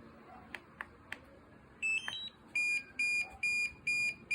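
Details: DJI Mavic Air 2 drone: a few faint clicks, then a loud high-pitched beep repeating about twice a second in even bursts; warning beep, cause unknown.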